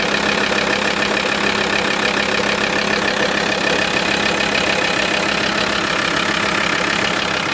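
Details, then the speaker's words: VW T4 with the 2.5 TDI ACV diesel at idle. A light, uneven knock rides on the diesel clatter and disappears when a little throttle is given; the source is unconfirmed. "Jetzt gebe ich wieder ein bisschen Gas. Das Geräusch verschwindet."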